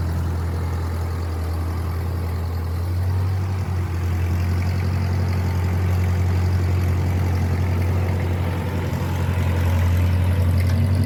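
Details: 1950 Ford 8N tractor, 4-cylinder, converted to 12 volt, project, after fitting a new carburetor because the old one started and died as if starved for fuel: low, steady, even idle chug with a slight speed lift, no misses; runs well.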